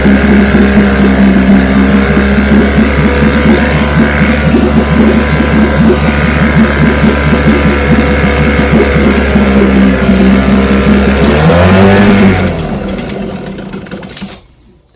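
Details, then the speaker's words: Vintage restored-then-repaired outboard on day five of a daily start test, full throttle, started on the second pull; loud, busy two-stroke buzz holds steady about twelve seconds, then fades at shutdown; runs healthy and even. "All right, that's five days in a row. She starts right up."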